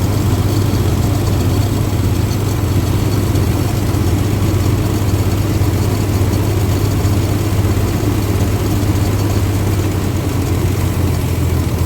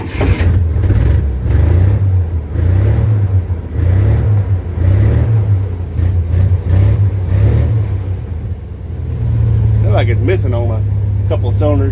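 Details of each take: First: 1962 Dodge M37 truck, pulled from brush after 40 years, idling on a temporary fuel IV with throttle spring refitted, accelerator pump likely not working: deep, steady idle held evenly without hunting or skips; pretty quiet, idles smoothly. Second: 1962 Dodge M37 that sat 40 years, running on an improvised fuel feed, plugs and wires still to fit: low, lumpy loping idle that smooths slightly as revs settle. Rough idle.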